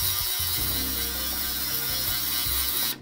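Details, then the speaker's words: Roughly 3-litre heated ultrasonic cleaner, plain water, cleaning Honda Ruckus stock carburetor parts: loud steady high hiss over a low buzzing hum, even until a sharp cut-off; normal operation. "actually you probably weren't even able to hear me just a moment ago because every time i try to record while doing the ultrasonic no one can hear me"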